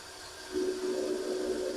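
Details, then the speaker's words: Chevy Tahoe sitting for months, diagnosed for no start: a thin, steady whir with no engine turnover, the starter freewheeling without engaging the flywheel. The starter is to be replaced first, after checking the motor turns. "Okay. So, I guess we're going to have to start off replace the starter first."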